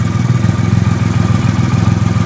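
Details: 2008 Triumph Rocket 3 after starter relay mod, restarted to compare starter: even, deep idle pulsing about ten times a second, no misses or clatter; normal idle.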